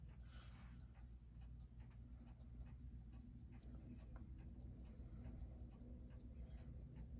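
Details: Seiko 6R15-01B0 movement after service, balance hairspring needed real intervention; crisp, even ticks about six per second with no skips or hitches, picked up by timing machine through thick case; healthy movement, good amplitude.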